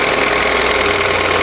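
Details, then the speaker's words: Mini Countryman three-cylinder petrol engine at 73,000 km, idling just after start-up with a busy rattly ticking over the hum; another shop called it engine noise, mechanic doubts it and plans inspection; abnormal engine noise at idle. "근데 이제 오늘 들어온 차량은 타워 정비소에서는이 엔진 소음이다라고 이제 판단을 받고 오셨는데음 같이 한번 들어 보시죠."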